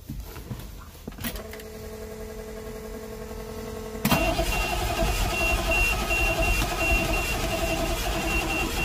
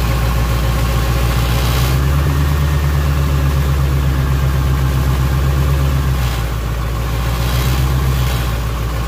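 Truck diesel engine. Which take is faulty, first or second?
first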